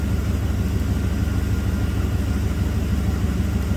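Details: 1990 Camaro with 5.0 Tuned Port Injection V8, 29,000 km, that had a random misfire and stored code 42 (electronic spark timing); idling after codes were cleared with spark timing 11–14°; deep, even rumble with no skips; runs smooth.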